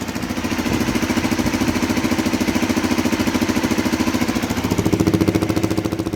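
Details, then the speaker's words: Honda CRF250L single at idle, street-only bike with starter motor already replaced and aftermarket manual timing chain adjuster fitted: quick, even thumping at a steady idle, no ticks or knocks, no weird noises; healthy, runs strong. "No weird noises or whatsoever. And this engine runs strong."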